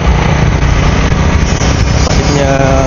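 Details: Kriss 110 two-stroke motorcycle running after swapping standard CDI for an adjustable racing CDI with mapping; loud, crackly rattle at a steady fast idle, firing evenly with no misses; engine sounds healthy.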